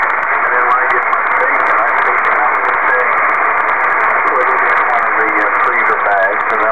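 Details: Kenwood TS-2000 HF transceiver sweeping the HF bands including 80 m: dense steady hiss and crackle swamps reception, so signals must be S9 or stronger to be readable, and the radio's noise reduction garbles audio. This is heavy HF noise interference.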